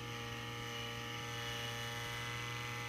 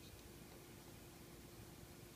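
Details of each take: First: TiVo Series 3 HD (TCD652160) original fan at startup speed, replaced for weird noises: steady high whir with strong low hum and buzzy edge, loud noise said to ease as it slows; worn fan bearing. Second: Tivo Series 3 HD (TCD652160) with replacement Apevia CF7025S 70 mm cooling fan: very soft, even airy hiss, no ticking, rattle or hum, less airflow than Evercool; normal quiet fan running.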